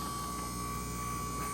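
Steady harsh buzz from a canister filter pump, caused by sand and gunk fouling the impeller chamber.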